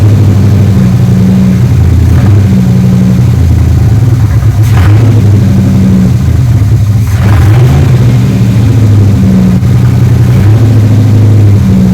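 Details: 1980s third-gen Camaro Z28 V8 with carburetor, after fixing a dead cylinder, rerouting plug wires and chasing carb and vacuum issues that caused misfiring: settles into a steady, even low idle rumble with no stumble or miss.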